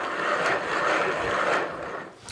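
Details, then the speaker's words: Mid-drive e-bike motor with the chain removed to isolate it: a rough, gritty grinding rises and falls with each turn of the cranks, with slight side-to-side play. The motor bearings are worn and need replacing. "let me take the chain off uh and then we can we can say that this is the motor noise and not anything else right you ready that is a motor that you should be concerned about uh worried about because it's just not right"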